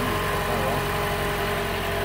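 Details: Toyota after fuel pump replacement and fixing an improperly installed fuel pressure regulator seal: smooth even idle, no stumbles or misses; fuel pressure 49, within the roughly 44–55 spec; engine healthy.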